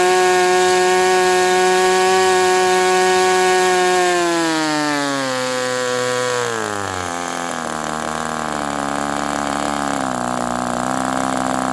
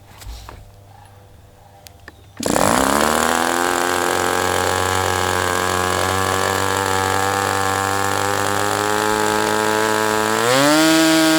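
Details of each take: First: Sport 40 model airplane glow engine during break-in run: steady high-pitched scream, then sags and settles but stays around 4,000 rpm, won't idle lower though loosening up; owner suspects the air bleed screw is not set. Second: Sport 40 model airplane glow engine during break-in run: catches at once into a steady high-pitched buzz, holds evenly, picks up speed near the end; running really well.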